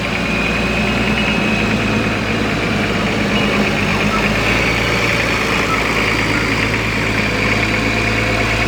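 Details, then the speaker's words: Diesel engine from an approximately 1984 60 series, just under 900,000 original km, never opened, aftermarket turbo, uses some oil on long highway runs: steady even idle with thin constant turbo whistle, no knocks or misses; normal turbo diesel idle. "he sounds good too nice whistle to her straight off the"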